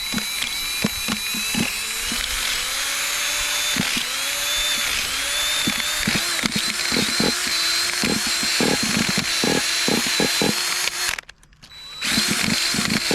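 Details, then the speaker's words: Vintage 1985 Kyosho Integra Vanning RC nitro engine on its first run, using fresh 20% VP Racing nitro fuel and spun by a drill with a rubber eraser wheel. It whines and gives irregular pops, wanting to fire but not starting. "Man, did that sound good? Did you guys hear that wanting to pop over?"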